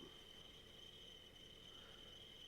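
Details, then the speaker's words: Manual-feed milling machine taking a slightly heavier cut on a vise stop, with a thin steady high-pitched squeal; feeding the handle too slowly, so the cutter rubs. "now when i watch this um i think i think i should have been feeding a little harder and that's where the squeaking is coming from that you can hear um"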